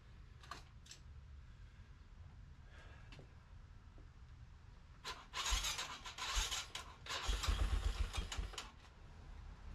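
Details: ATV after fitting a new battery, starter solenoid and starter switch, with ignition and fuel on: a few quiet cranking bursts, then engine catches and revs unevenly before settling; cranks and starts normally.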